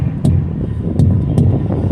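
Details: Semi truck tire checked by striking it during a brake and tire inspection at Tejon Pass: three short, solid, dull thumps, truck running in the background, tire sounds hard. Properly inflated tire.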